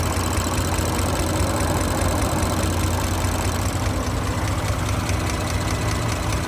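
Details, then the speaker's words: 2017 Audi B9 S5 EA839 V6, 67,000 miles, idling: light, uneven tapping audible on bank two from a failed rocker arm, a repeat failure; engine removed, rocker arms replaced and upgraded camshaft adjusters fitted. "So I can hear a quite audible tapping on bank two."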